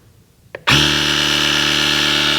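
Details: Portable tyre inflator/boost pack inflating a Nissan Micra 1.0 tyre from 17 psi toward a 30 psi target: sharp start, then a steady high buzzing drone with an even rattle; pumping normally.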